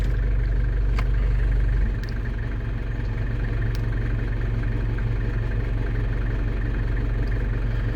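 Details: London Taxi diesel idling as the automatic gearbox is moved through D and 2 after sump gasket and fluid renewal: steady low idle dipping slightly as gear engages; engine and gearbox healthy.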